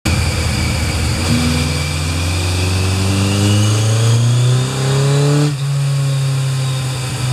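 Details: Kawasaki Z1000 MK2 after FCR37 carburettor overhaul and setting, with Uotani SP-2 ignition fitted; revs climb and flare then drop with no load taking hold; clutch slipping badly.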